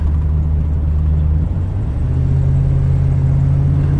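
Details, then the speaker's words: 1998 Ford E-150 wheelchair van, 92k miles, accelerating toward about 70 mph: steady low engine drone with smooth pitch change like a gear shift; no unusual vibration or noise, healthy. "And as you can see, as I accelerate, the steering wheel's nice and straight, no unusual vibration or noise in the steering wheel."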